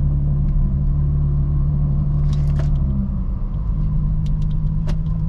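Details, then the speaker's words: Volvo Stage 3 engine unstarted for a couple of weeks, started briefly, kept at low revs with a little smoke at the rear; deep, uneven, loping idle beat, clearly struggling and running rough. "let's see if it starts it started let's let it let it let it run doesn't run good"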